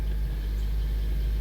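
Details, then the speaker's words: 2003 Honda Element after replacing stolen catalytic converter, new O2 sensor and gaskets: low even idle rumble, no exhaust whistle or hiss, no leaks felt; check engine light still on. "Let's see if my car sounds like a car. Ready? Yep, go for it. Oh, it sounds like a car."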